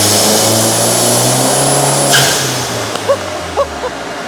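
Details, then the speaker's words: Rebuilt Mk1 Audi TT on its first full-load pull, stock about 195 hp expected: strong even roar through the pull, easing off with crisp pops on lift-off; healthy engine at full load. "That sounded so good. That sounded so good. It sounds insane. It sounds really good."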